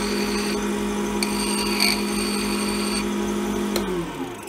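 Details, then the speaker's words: Lathe running an apple twig blank coated with CA glue, after relieving and retightening tailstock pressure and checking the bushings: steady, even motor hum, constant pitch, smooth spin-down; no vibration, normal running. "no vibration nice and dry I'm ready to get after it"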